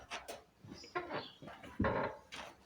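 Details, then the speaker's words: Lowered Alfa Romeo with rear suspension noise after warm-up, body pushed down by hand: short irregular creaks and groans, loudest on the right side; suspects suspension bolts not retightened after lowering. "and I push up. This is the noise, and it's most here on the right side."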